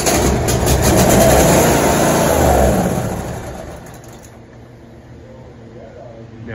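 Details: 2016 John Deere X330 lawn tractor, sat about three years, carb spray in carburetor throat with air filter removed: catches and runs evenly on both cylinders for a couple of seconds then fades; compression and ignition fine, fuel delivery fault.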